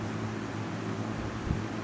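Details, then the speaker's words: 1998 Lasko 3700 Ultra Force 20-inch box fan on medium then low: soft, even airy white-noise hum with a low steady drone, no ticking or rattling; normal running. "here's medium lot of great white noise i love it and here is low and i have slept with this one many different times and it does uh that white noisy sound is actually very nice it's quite nice"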